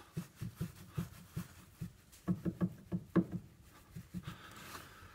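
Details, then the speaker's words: Hyundai Santa Fe after tie rod replacement: dull, hollow knocks, about three a second, as the steering rack shifts back and forth. Water and dirt through a torn boot rusted the shaft and ate the rack bushing. "грязь вода заржавел glow вал сожрала втулку и теперь будет у клиента стук вот такой"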